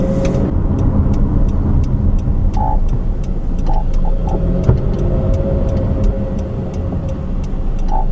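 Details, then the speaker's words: 2013 Honda CR-V AWD, about 4,000 miles and four months old: faint short rear creaks at uneven intervals over road and engine rumble when pulling away; dealer could not explain cause, replacement pump did not cure it. "the car has about 4,000 miles on it and it started making this really weird like a coking noise"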